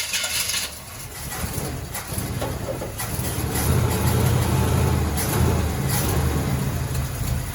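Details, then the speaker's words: 1966 Chevy truck big block, just brought back to life with a new starter and battery and run on a little gasoline, catches after a few seconds and settles into a deep, fairly even rumble as it revs; running normally. "oh it doesn't sound too bad actually now that i listen to it"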